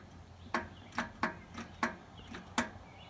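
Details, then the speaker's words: Riding lawn mower, key turned with positive connected and grounded to frame: sharp repeated clicks with no cranking; faulty starter solenoid, tested by bridging its two posts with a wrench, then replaced with a universal solenoid. "alright so we can we turn the key over we hear the solenoid clicking"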